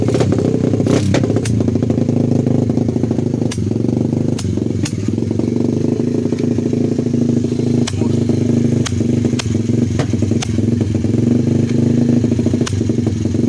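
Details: 125cc single-cylinder pit bike after a new muffler pipe was fitted: uneven chugging with sharp irregular pops and cracks on throttle, spitting back through exhaust and intake; backfiring, owner suspects the previously repaired ignition.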